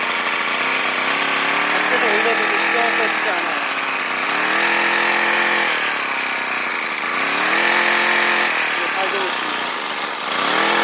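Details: Two-stroke grass trimmer that stalled, running after removing fuel cap inner lid to fix blocked venting: buzzes steadily, revs up and eases back smoothly without cutting out.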